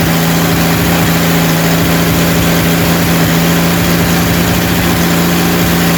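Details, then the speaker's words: Rebuilt 230 six-cylinder at about 2000 rpm during cam break-in, timing about 10° advance, 40 psi oil, 180° temp, not smoking; smooth even low hum, no ticking; normal fast idle. "we're at about two thousand no it's not even smoking all right we we're breaking in the cam right now it's running really good sounds good no ticking"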